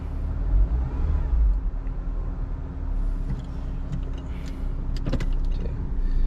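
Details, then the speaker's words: Engine idling: low steady hum with a few light clicks and no thumping or shaking. Vibration completely gone. "As you can see, completely different. Vibration is gone. Completely gone."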